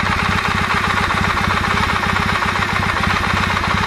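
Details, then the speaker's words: Kawasaki W650 twin at idle during cam gear mesh adjustment by rotating the conical-pinned part: hard, fast knock about four times a second, louder at this position; cam gear knock, later reduced, remainder attributed to wear. "вот но мы видим как звук меняется в зависимости от того как вы сторону от руки вот так слышно усилился стоп"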